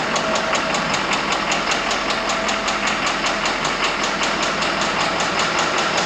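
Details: Ford truck awaiting a full engine swap: steady tick-knock about two and a half times a second over a smooth idle; engine knock from a worn engine.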